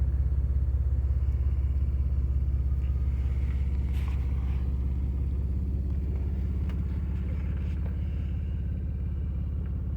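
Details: V6 TL running on three cylinders, blamed on bad injectors: a deep, lumpy idle with an uneven thump about three times a second, plainly missing on several cylinders. Rough idle from a cylinder misfire.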